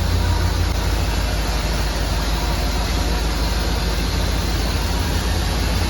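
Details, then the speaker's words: Chevrolet Silverado squarebody farm truck V8 at idle just after completing a Holley Sniper EFI install, after cycling power and checking parameters: deep, steady burble, even beat, no misses or surging; smooth settled idle, running like a champ. "had to cycle the power on and off again and man is she running like a champ"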